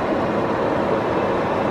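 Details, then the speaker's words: Vehicle whose battery died and was replaced with a new AC Delco battery. With the engine off and key removed, the cabin blower keeps running, a steady rush of air; body control module failure suspected, not confirmed, with no code read. "i turned it off and took the key out and as you can tell it's still going can you hear that it's still going it's still blowing"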